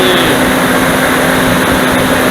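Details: Dodge Dakota V8 cold start, engine fully cooled (about 15°C indoors, -1°C outside), original viscous fan clutch before electric-fan swap: loud steady whooshing roar with constant hum drowns the engine; fan clutch nearly locked, spinning near maximum.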